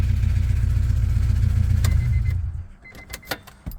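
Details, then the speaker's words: 1999 Acura Integra DC2 B18 LS hatchback, still warm, with a bent valve: deep fast puffing rasp rising with revs; exhaust leak, owner suspects plugged original catalytic converter pushed out the gasket; new cat ordered. "but you can hear the car let's start it up still warm from me driving it but it's leaking"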